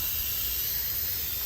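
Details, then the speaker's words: 1975 Lincoln Continental low-compression diagnosis: steady airy hiss with no rhythm heard and felt at the intake while the cylinder is pressurised, none from the crankcase, ruling out rings; leaking intake valve. "i just wanted to make sure to be honest that it wasn't a ring issue and i don't see i don't hear any coming out of the crank case i didn't check the exhaust um but i can definitely hear it and feel it coming out of the intake"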